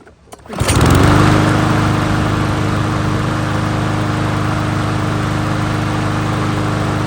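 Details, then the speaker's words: Troy-Bilt XP push mower, previously leaking gas and backfiring when hot, after a new fuel line, tightening the loose carburetor and adjusting the valves: starts and settles into a steady, even run with no hunting or surging. "not even hunting looks really good now"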